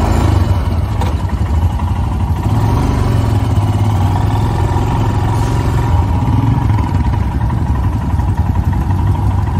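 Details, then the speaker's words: Stock Royal Enfield Himalayan single-cylinder, first ride of the day: steady, even thump at idle holding pace without stumbling, outdoor background; healthy idle. "And when you turn the key and you hit the throttle, it just idles."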